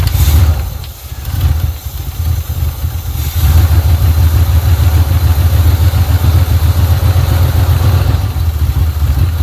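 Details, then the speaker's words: 1980 Pontiac Trans Am Turbo 301 V8 idling after its first start in about 18 years, running on fuel fed to the carburetor: a deep, steady idle that settles after a brief blip, with even pulses and no knocks or ticks. Normal idle. "all right that is a great running motor wow didn't even make a single noise"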